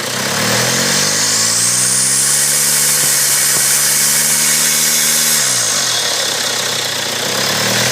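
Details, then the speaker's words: Running engine with loud high-pitched turbo whistle; turbo shaft has excessive axial and horizontal play, turbo was pushing oil, car started smoking; air filter and top cover removed to expose turbine. "у меня вал болтается и горизонтально намного больше вот и вертикально там может быть лив нормальный но он по оси ходит то есть туда-сюда ходит очень сильно погнала короче масло у меня турбина вот и начался свист"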